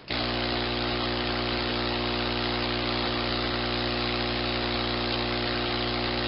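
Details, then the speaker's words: Personal Cushion Lift air pump sucking air out of the cushion to flatten it; steady even motor hum with constant hiss of drawn air, no surging or rattles, pump running normally on suction. "so with the pump you continue you continue sucking the air out of the cushion until it's back to a flat position again"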